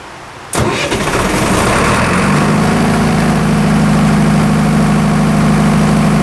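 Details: Military surplus diesel generator after years of sitting, injection pump control linkage freed with penetrating oil: fires at once, revs up and down, then steady even drone with no knocking or surging; healthy engine and injection pump.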